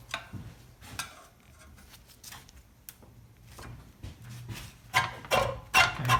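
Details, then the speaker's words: Reel mower being set up for backlapping: after second 1/4-turn adjustment of bottom screws both sides, irregular dry ticks and scrapes, a little under three a second, as reel turns; blades contacting bedknife tightly, expected to loosen during lapping. "So now, you hear that? You hear it just about hitting. So we're going to go a little more."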